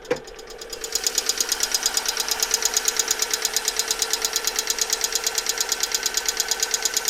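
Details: Alfa Romeo 147 1.6 Twin Spark 120HP, noise began two days after oil change with flush additive and 10W40: rapid even light ticking about three per second over quiet idle; hydraulic lifters, gone after replacing all 16 and a 50-minute drive.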